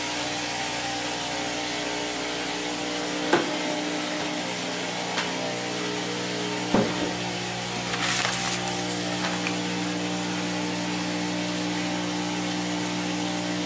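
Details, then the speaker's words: Maytag Neptune MAH5500BWW washer after motor and motor control board replacement, in the test's end spin and coast-down: smooth steady hum, no knocking, scraping or rumble. Normal spin-down; PA shown, no codes logged. "okay cool uh yeah we got the uh end Spin and Coast down unlock door when RPM zero display PA on continuous for 10 seconds"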